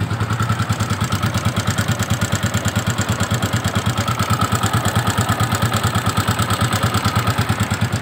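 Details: Yamaha Vixion motorcycle engine idling rough with a quick, steady ticking of about three per second; the noise is light and points to loose valve clearance needing adjustment.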